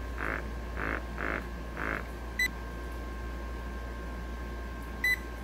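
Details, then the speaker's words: MRU handheld combustion analyzer during a leak-proof test: low pump hum under four quick beeps about half a second apart, then two chirps. The test fails, so the analyzer is leaking, compared against a recently serviced good unit. "okay so we're leaking that means we"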